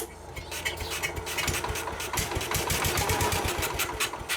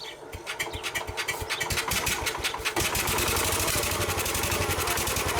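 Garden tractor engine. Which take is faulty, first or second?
first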